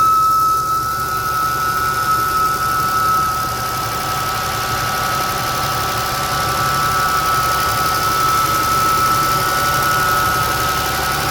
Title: New 2023 Jeep Wrangler making whistling noise on cold start up